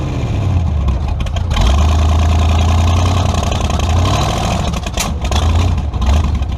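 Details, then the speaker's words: Tunnel-ram 350 V8 with two Edelbrock 600 cfm carburetors (1405/1406): deep rumble surges, then falters and stutters. Owner suspects a lean surge; a vacuum leak is found. "when i would load into the gas you know loaded against the brakes and then try to stomp on it it would just stutter and i think what i got going is a lean surge"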